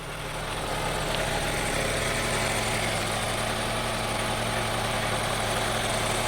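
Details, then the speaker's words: 2002 Honda CR-V 2.4L, rough idle traced to the upstream air-fuel (O2) sensor: steady, even idle with smooth low hum, no stumbles or dips; rough idle fixed. "very smooth no more rough idling anymore"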